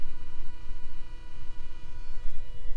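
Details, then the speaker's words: 2004 Toyota Highlander V6, key on, engine off: steady one-pitch electrical buzz from the drive-by-wire electronic throttle body; code P0121 (throttle position sensor range/performance), blown EFI No. 2 fuse, won't exceed 25 mph; faulty throttle body replaced. "these are drive by wire and while the ignition is on we still have that strange like buzzing noise"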